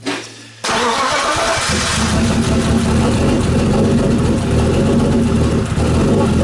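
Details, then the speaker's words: BMW E36 with M52B28 engine, first start after a head gasket job: it cranks and catches, then settles into an uneven, lumpy idle with a wavering beat. Owner suspects the cam timing is slightly off. "on it runs which is a good start um I have a feeling that I may have got the timing maybe slightly wrong in the cams is what it sounds like cuz it's not running perfectly smoothly"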